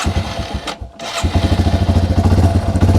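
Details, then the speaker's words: Yamaha TW200 single with a simulated cracked carb-to-cylinder-head intake boot, choke off. The idle thumps unevenly, nearly dies, then limps on; a vacuum leak running it lean gives a rough idle. "Let it idle, and then let's slowly open this up. Oh, yeah, I just opened it up a little bit. And yeah, it's struggling to stay running."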